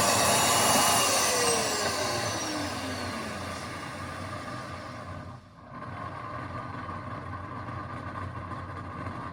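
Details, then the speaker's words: Shop vac motor running: light high whine falling in pitch, spinning fast with low resistance and no suction because the radial fan backed off the motor shaft; motor bearings also grumble. "the first one is the one you just heard which is a disconcerting Grumble coming from the motor bearings the other one is that there's a no suction you probably heard it spinning really quickly and with low resistance"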